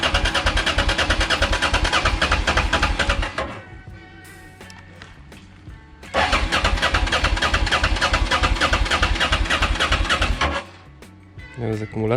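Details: Honda XL650V Transalp motorcycle after service and a month standing in the sun, fresh oil and 5 litres fuel: starter churns steadily about three pulses a second but engine won't catch; fuel likely evaporated from carburettor float bowls, ignition module also found not tightened.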